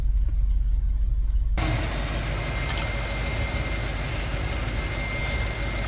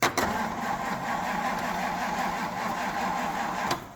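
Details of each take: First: Ford FE V8 in a 1964 Galaxie, first start after sitting for years: steady, even idle with a smooth low rumble, no knocks or misses. Accelerator pump works, and it runs well after sitting. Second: Classic Ford engine on its first start attempt in years. A laboured, dragging starter churn with slow, sluggish compression beats for about four seconds: very slow cranking.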